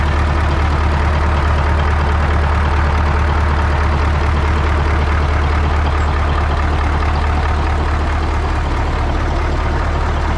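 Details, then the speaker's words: 1980 Peterbilt 359 EXHD with Caterpillar 3408 diesel, left sitting for years, fires right up; deep steady rumble with an even low pulse, no misses or knocks, idling smoothly after start. "Oh, yeah. Perfect. Wow. Holy shit, fellas. It just lights right off."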